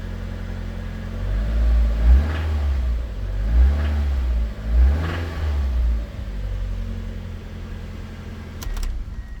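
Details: Rod knock on a 2000 Mazda Miata with the BP4W engine: engine blipped out of idle three times after oil pressure comes up, with a deep knock riding under each rev.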